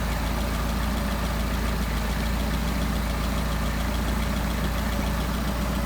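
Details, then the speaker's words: Engine with Solex carburetor idling at about 700 rpm, bouncing to around 750, before idle mixture adjustment; steady, even low-pitched idle with a smooth beat and no knocks or misses; idle normal. "Alright, so it looks like we're running 700 RPM, which is just fine, up to maybe 750, bounces around a little bit."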